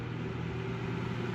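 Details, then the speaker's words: Emerson desk fan, model 2650-B or 2260-H, long unused, bearings oiled, grille held by clamp over broken spot welds; on high, smooth even hum with soft air rush and no ticking or rubbing; normal. "that seems about like what I would expect"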